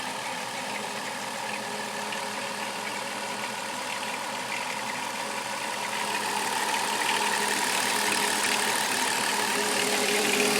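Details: Chrysler Town and Country 3.3-liter engine at steady idle with a light, fast metallic rattle about three times a second, growing slightly louder; engine rattle, source not pinned down.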